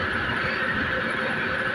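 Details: Industrial 380 V motor with a transmission gearbox driving a drag chain, drawing about 200 A. It makes a steady, even mid-pitched drone with no knocks or grinding, and measured vibration is about 4 mm/s, judged acceptable.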